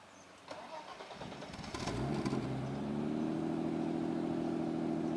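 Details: 1991 BMW 325i convertible, 2.7L stroker eta, Garrett GTX2867R turbo, Megasquirt, water-methanol, 5-speed, started cold: brief crank, clean catch, smooth raised idle with even pulse; normal cold fast idle.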